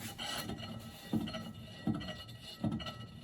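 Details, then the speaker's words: Triumph TR7 under restoration, front wheel turned by hand forwards and backwards: soft scraping rub about once a second; owner thinks it is the brakes, a backing plate catching the disc, already pulled away slightly and sounding a bit better. "Roughly the same noise going backwards. A bit more noise there. And a bit more noise there. Now that would appear, I guess, to be the brakes."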